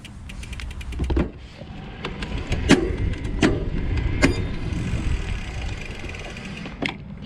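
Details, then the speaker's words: Specialized Turbo Como 5.0 e-bike, Brose mid-drive motor with about 90 Nm torque and no shift detection, 11-speed Shimano Deore. Shifting under load without easing off the pedals causes sharp chain pops and clicks over wind rumble. "No bueno, right? Like, you can really hear it popping."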